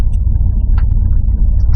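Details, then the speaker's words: 1986 Dodge Ram Custom 150 six-cylinder with dual exhaust and 78,500 miles. A deep, steady low rumble with an even beat and no knocking or ticking; a nice little rumble and a clean, healthy idle. "As you might have heard, it has a nice little rumble, and that is because being an 86, it doesn't have to go through emissions, even though it has a sticker on it."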